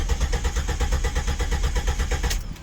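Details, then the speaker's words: 2001 Jeep Grand Cherokee Limited 4.0L cranking with fuel pump fuse (20A) pulled to depressurize before fuel pump module replacement, pump suspected weak: fast steady cranking over two seconds, faint firing that never catches; no start from no fuel pressure. "I'm gonna go ahead and crank it. I'm not getting much, so hopefully, I think my fuel pump was getting kind of weak anyways."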